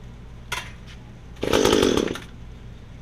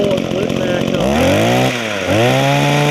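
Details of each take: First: Estate-sale Echo two-stroke hedge trimmer, before its Walbro carburetor rebuild, with brittle fuel lines; good compression: short cranks, then a rough run that surges and sags before dying; poor running, owner thinks it needs carb cleaning. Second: Echo two-stroke hedge trimmer after a Walbro carburetor rebuild with new primer bulb and fuel hoses: revs up, dips briefly, then picks up with a clean, steady buzz; owner says it could run better but will do the job; normal running.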